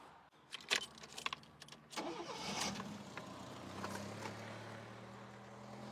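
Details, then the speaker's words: Fiat Panda 4x4, first start after replacing the timing belt, tensioner, water pump and thermostat housing. A few clicks, then it catches quickly and settles into a quiet, steady idle with a light rev while the water pump drive is checked. It runs like a clock. "Ça tourne vraiment comme une horloge ces petits moteurs."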